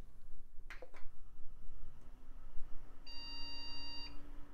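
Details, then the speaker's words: 2000s Micron ClientPro PC at first power-on test: a long, clear beep about a second long, slow beeping indicating a RAM fault despite RAM edge connectors already cleaned; recleaning them fixed it. "oh it's not happy slow beeping that's Ram you know I had already cleaned these Edge connectors preemptively guess I just didn't do a good enough job"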